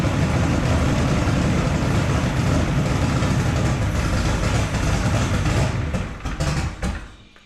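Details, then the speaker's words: Drag street car on a new Holley Dominator EFI, first proper start after wiring and settings changes, TPS auto-set done, possibly running rich: loud, deep, lumpy engine note holds steady, then shuts down; running normally. "all right sounds like my beautiful help"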